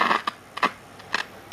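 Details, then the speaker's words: Late-1960s/early-70s AWA P1 11-inch valve portable black-and-white TV: sharp irregular crackles from the speaker, four or five bursts in under two seconds when the power/volume knob is barely touched; owner suspects a bad audio valve, unconfirmed. "just the slightest adjustment and you can hear you can hear that I believe that must be a um valve in a bad valve in the audio"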